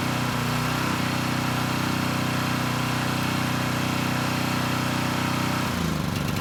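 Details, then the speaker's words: Coleman Powermate Pulse 1850 generator, roughly 23 years old, after fuel system repair from tank to carburetor (it had run rough and leaked oil): steady, even governed-speed running with no misses, then shutdown; healthy. "so it's doing pretty well and the engine sounds good so i think it'll run for quite a bit longer"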